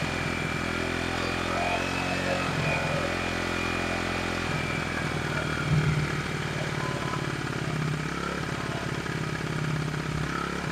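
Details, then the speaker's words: 1974 Honda XR75 small single with new ignition coil, on choke, idle stop screw nearly all the way out, mixture screw one turn out: fast steady idle that never settles; idle too high, unadjustable, new carb ordered. "The idle screw's pretty much all the way out. And air fuel mixture screw was a turnout."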